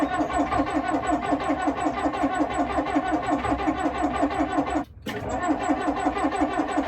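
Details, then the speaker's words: 1959 Plymouth taxi with Perkins P4C diesel, cold: long, even cranking at nearly three turns a second for over seven seconds without catching, smoke billowing from under the hood; very hard cold start, owner has a possible fix. "Bad cold start or the worst cold start of all time?"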